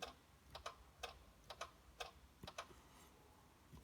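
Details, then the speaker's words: Hyundai Santa Fe with overnight battery drain, during parasitic draw test, engine off: after refitting a fuse showing a 0.05 voltage drop, faint paired sharp ticks about every half second; suspected relay cycling, earth strap later found. Not confirmed. "Now I went in to go looking to see where the clicking was coming from. Was it a relay or something like that?"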